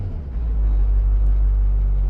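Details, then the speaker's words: 2004 GMC Sierra/Chevy Silverado diesel with no power, codes P2133, P2125, P0237 turbo boost sensor low voltage: idles as a low steady rumble, light pedal taps don't raise rpm, revs rise only at full pedal; faulty throttle response. "i'm just gonna kind of tap the gas pedal as you can see i'm tapping it right there and the rpm is not moving at all look at that so i'm just tapping the gas pedal if i go all the way down you can hear the rpm"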